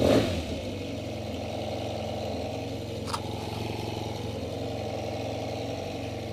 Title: bruit moteur tmax 500